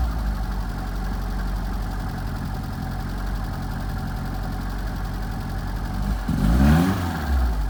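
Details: 1978 FIAT 124 Spider: low, uneven idle that lopes and stumbles, then a short blip of revs; rough idle, cause not yet found.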